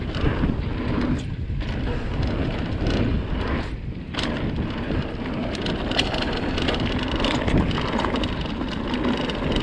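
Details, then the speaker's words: 2020 Vitus Sommet CRS mountain bike at Aston Hill, chest-mounted GoPro, before the fix: quick irregular light ticking and rattling over wind and tyre rumble as loose internally routed cables slap inside the frame; later silenced with split braided sleeving. "I don't know if you guys have noticed, but in my previous videos, the cables on my bike are extremely rattly and it drives me insane."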